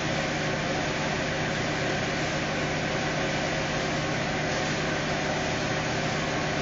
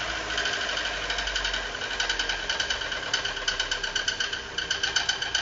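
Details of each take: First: Fiat Uno 2018 Fire Evo engine after repair of a strange engine noise (suspected reversed gasket affecting lubrication); steady, even idle with smooth low hum, no knocks, running normally. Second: Fiat Uno 2018 with Fire Evo engine, started in the workshop before teardown: fast, sharp metallic ticking with steady rhythm, an abnormal internal engine noise whose cause was not yet identified; engine previously opened, to be disassembled to diagnose.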